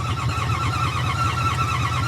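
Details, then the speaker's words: 4x4 truck started on an Optima battery: the engine catches and runs with lumpy, uneven, labouring pulses, struggling to settle. Water is suspected, not confirmed. "n that sounds like it's struggling possibility water yeah or water"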